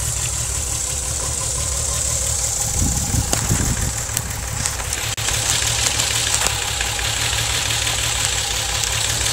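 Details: VW VR6 12V at idle with misfires on cylinders 2, 3, 6 (mostly 3) despite new coilpack, plugs, wires, coolant temp sensor and purge valve: engine shakes, uneven lumpy beat with stumbles, check engine light blinks; smooth when driving; rough idle misfire.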